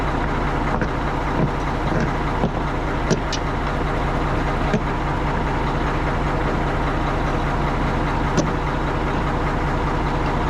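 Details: Tri-axle dump truck diesel after a no-start fixed for about $5 (dead battery diagnosed with a load tester, dielectric grease used), now idling steady and even with a smooth low rumble, no misses or knocks; healthy.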